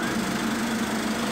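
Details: Main air compressor after replacing the air cooler, rattle traced to a loose bolt on a lower cover and fixed: steady even hum, firm tone near 220 Hz, no knocking or rattle; runs smooth and quiet.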